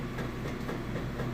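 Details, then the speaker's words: Maytag top-load washer during wash cycle, inspected: steady rhythmic thumping a few times a second over motor hum as agitator reverses; strong normal agitation. "there again that's how you know it's actually working for rectly it's something I like to point it so it's got a nice strong agitation"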